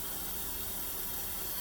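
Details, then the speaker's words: Ecowater compact series softener after the error code 1 fix, returned from bypass to the line and put through regeneration. Soft, steady hiss of water filling with no gurgle; normal fill. "It's been offline for a bit, so we're going to let it go through its cycle completely."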